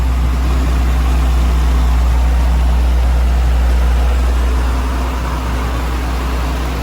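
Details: Nissan Stagea engine after adjusting the timing belt and tightening the belts and tensioner pulley, warming up: steady, even low idle with no chirp or squeal, so the earlier noise is gone. Normal idle.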